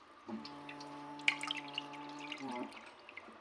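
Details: Newly installed toilet hums loudly during cistern refill after flushing, on both small and large flush buttons: water rushes in with a steady low drone and strong overtones cutting off after about two seconds, consistent with fill-valve hum; cause suspected, not confirmed.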